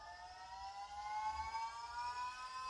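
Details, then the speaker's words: Volvo electric power steering pump installed on a 1977 Ford F100 Custom, revved up from its lowest setting: steady clean whine rising slightly in pitch, no grinding or rattle; sounds robot-like and is working normally. "sounds like it should be in a robot movie I kind of dig it actually so it's revved up now"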